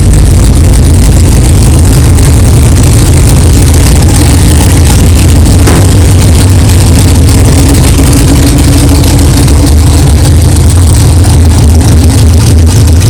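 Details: 1964 Chevelle with freshly built 383 stroker V8, first fire-up after 8-month build; 63 lb oil pressure, 11° timing, not yet warm. Loud lumpy idle with steady low rumble, no knocking or clanging, good oil pressure; normal idle.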